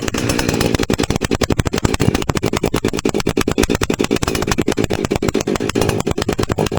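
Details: Husqvarna 359 two-stroke chainsaw after inlet boot replacement fixing air leak and lean running, cheap baffle-less muffler with enlarged 17 mm outlet, high jet richened: loud choppy idle, crisp regular pops about ten a second, steady; normal idle.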